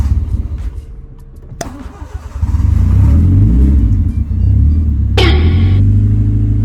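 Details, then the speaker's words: Honda Civic EK hatch first start after engine rebuild and three months off the road, fifth attempt: cranks, catches and revs, then hunts unevenly at idle without settling to a steady speed; idle not yet right. "lang Goandar nagbalik buhay na pang paminaw ang lingog sa engine kayobsertlahon gamay menor wala pa nakuha sakto menor"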